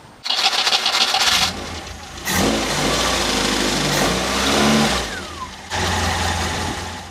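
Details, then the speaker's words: Mk2 Ford Escort with Weber carb and fuel pressure regulator just rebuilt, fuel pressure gauge reading slightly over 3 psi: engine cranks, catches quickly, revs cleanly and settles to a steady idle while pressure is checked; running healthy. "so I'll just start the engine and rev it and hopefully it can hold it at that pressure"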